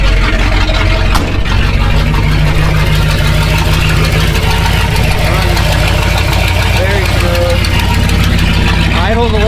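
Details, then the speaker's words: 1967 Ford F250 V8 with new Edelbrock Performer intake and Holley Truck Avenger carburetor, timing set only by ear, idle set a little high: low, lumpy, slightly uneven choppy idle; owner unsure whether a weak cylinder or valve train is to blame. "I'm just I'm not sure if I have a weak cylinder or maybe my valve train is not working pretty good, but I also haven't I haven't timed it all."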